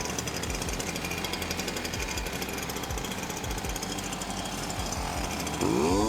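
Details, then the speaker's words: STIHL BR430 backpack blower two-stroke, after hydrolock teardown and diaphragm replacement: running rough with uneven low pops, about four a second, breaking through the buzz. Intermittent popping, cause not confirmed. "on and popping again."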